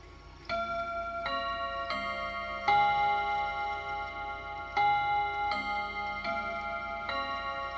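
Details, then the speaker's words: Freshly reassembled chime clock after first service, chime test before starting it ticking: quarter chime of clear bell notes at steady spacing, each ringing cleanly; plays evenly and healthy. "So before we get it ticking, let's just make sure our chimes are working. Should be a 15. That's good."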